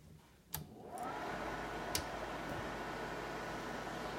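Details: GAF 680 slide projector switched on: a click, then a steady even whoosh of airflow settling in with a faint hum; fan starts and runs smoothly.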